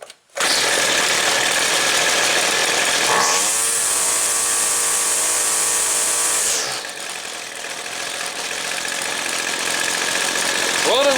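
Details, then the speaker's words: Weed Eater two-stroke trimmer, restarted with the air filter refitted after carb adjustment: a steady, slightly burbly full-throttle scream, then idle; a touch rich at the top, so the high screw is turned in an eighth turn. "it's just a little fat on the top side so i'm going to take i'm going to turn the high adjustment screw in about an eighth of a turn"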